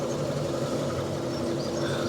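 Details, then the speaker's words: Fiat 500 salvage project, restarted after fitting proper number plates: steady, even idle hum with no knocks, ticks or rattles; the previously heard noise is gone and the engine sounds alright. "Now, I've just started it up again after putting the new number plates on, the proper number plates on, and I can't hear that noise. The engine sounds alright, so I just don't know what to do."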